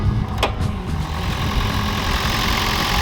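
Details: 2008 Toyota Prius, 289,119 miles, one cylinder reading 80 on a compression test, after Seafoam in cylinders and a throttle pull: engine catches with a short burst then settles into steady, even idle with no misses or knocks; normal idle.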